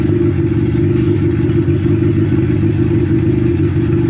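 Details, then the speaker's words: Car that had not been started in months, jump-started with a Scatach 4000A portable jump starter, starts right up and settles into a steady, even idle with a smooth low rumble and no knocks or misses, so it runs cleanly. "Started right up. Wow. I know you probably don't know this because this is just a video, but this car hasn't been started in months, and that little thing started it right up."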